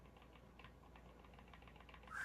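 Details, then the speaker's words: Vintage-style Fender Jazzmaster setup: light quick clicks as a fret rocker seesaws on a high fret, found at the third fret under the G string. "And when you have a high fret, you will hear um this clicking sound."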